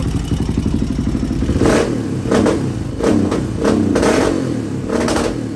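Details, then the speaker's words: 1986 Honda HRC XR600 (XR628R) single with dual carbs, rolling into throttle on road after jetting changes: sharp pops and crackles, still breaking up badly past half throttle; owner suspects too lean on secondary carb, considering a richer needle position. "It's still breaking up pretty bad past half throttle. If you roll into the throttle, which I'll show you here, it goes pretty easy."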